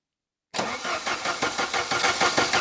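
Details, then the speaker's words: 1980s Saab 900 Turbo Commander, unstarted for 10+ years under a tarp, fuel possibly not yet at injectors: even starter cranking about six pulses a second with no firing; crank no start because ignition module was not fitted. "Oh, wait a second. I forgot to fit that ignition module. But it makes sense that it wouldn't start without this one at least."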